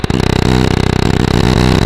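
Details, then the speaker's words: Bobcat skid steer after engineering work, microphone on the arm: fast, even engine thumping with a coarse buzzing shake from low in the machine. One loose part was found, but the source is otherwise unknown. Abnormal vibration. "But can you hear down in the bottom of the machine? Like you can, I'll put you on the arm here and see the vibration."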